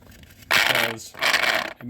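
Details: Kid's Peg Perego John Deere Gator ride-on converted to a 20V DeWalt battery, rear drive motor failed: short bursts of high, raspy whirring cutting in and out while the wheel doesn't move; stripped motor gear spinning without driving.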